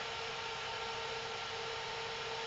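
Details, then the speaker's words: Selco Genesis 140 A inverter arc/TIG welder after repair, powered on and left running, not test-welded: steady, even fan hum with a faint constant whine and no pops, crackles or buzzing. No horrible noises heard. "but I will turn it on again and keep a watchful eye out for any you know bright flashes or whatever cool so no horrible noises just leave that on for a bit"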